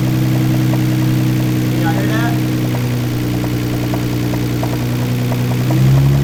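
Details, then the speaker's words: Nissan R32 GTR, 900hp build, at warm idle: a light, steady knock about four times a second over the engine, a rod knock described as not extremely bad. "that is what you call a rod knock so um it's not extremely bad but it is a rod knock"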